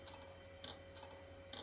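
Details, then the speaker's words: Hard drive in an IBM/Cyrix Socket 7 Windows 98 PC, not detected, after the upside-down trick: quiet hum broken by repeated sharp clicks a few tenths of a second apart. Half-dead failing drive; the table-whacking trick is tried next. "so yeah that is a um dead Drive well half dead"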